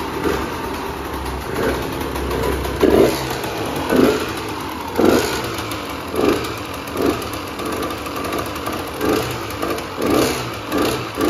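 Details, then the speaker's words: Husqvarna WR125 two-stroke, final silencer not fully fitted, power valve not working; crisp throttle blips about once a second returning cleanly to crackly idle; engine sounds healthy. "psu foarte bucuros că am fost motocicletă și că motorul se aude bine"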